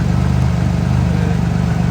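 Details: Engine idling after RJC V-Band exhaust gaskets were installed, heard on a walk-around: deep, steady idle with even low pulses and no ticking or puffing at the joints; exhaust sounds sealed and healthy.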